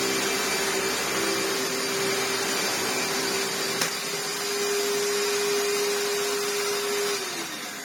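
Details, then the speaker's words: 1998 Hoover Turbopower 2 upright vacuum fitted with a replacement eBay motor and a non-genuine belt: a steady motor drone with a belt hum that suddenly drops in pitch as the belt snaps. Drive belt coming off. "Oh, it's going really well until that belt snaps."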